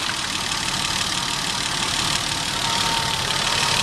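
Steady idle with a fast, uneven tapping buried under a lot of hiss; a knock is there, but slap versus rod can't be told. Cause suspected, not confirmed.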